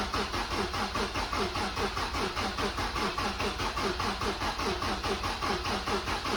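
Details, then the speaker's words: Mazda MX-5 NC with freshly rebuilt engine (new bottom end, head gasket, timing chain, oil pump), starter reinstalled after cleaning its earth: even cranking about 73 beats a minute, no clicking or grinding, building pressure before first start. "so i've put it back on we'll turn it over again now put everything back together we'll see what happens see if we can build some more pressure"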